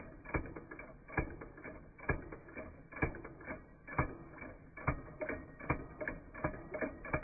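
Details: Chinese-made flame licker (vacuum) engine with plenty of compression, lit by a lighter held at the end; slow, slightly uneven mechanical clicking, roughly one knock every couple of seconds, as it turns over on its flame.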